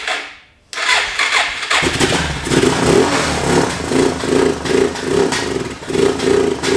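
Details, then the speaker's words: Suzuki DR650 single-cylinder, sat over 4 years, carb cleaned, first start after starting fluid into carb: cranks, catches, then lumpy uneven idle that surges and sags; runs rough, owner suspects old fuel, debris or airbox airflow. "it's beyond the little rough I think they need all the gas ran through it they help clean up a little bit crap out the park still"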